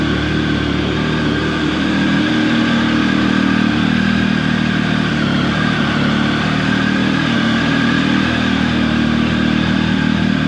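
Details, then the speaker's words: Triumph 1050 motorcycle, about 14 years old, cold start at about 48-49 degrees: fast, steady high idle with no misses or surging while warming. Normal cold start fast idle. "Still got high idle going."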